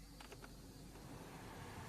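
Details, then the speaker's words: Hyundai car idling with AC off after cleaning and reset for RPM fluctuation that occurred with AC on; quiet even low hum, engine RPM stable, no hunting; normal idle, stays stable with AC on too. "Friend देखो AC of है मेरा हमें try के लिए AC of है। अभी देखो इधर इंजन आरपीएम स्टेबल है।"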